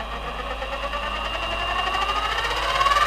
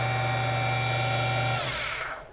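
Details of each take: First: Central Machine mini CNC mill, stock gear transmission, speed selector high, mic worn at the front: several high whining tones climb as the spindle spins up, hold loud, then fade; noisy gears, before belt pulley conversion. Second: Central Machine CNC mini mill after gear transmission removed for a belt pulley conversion: smooth steady hum with a clean high whine, no gear chatter, even spin-down; spindle now runs quietly.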